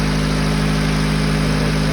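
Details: GAZelle with ZMZ-406 engine after repair of a knock, hydraulic lash adjusters bleeding after start: even, steady low idle hum with no knock heard; engine idling smoothly and healthy.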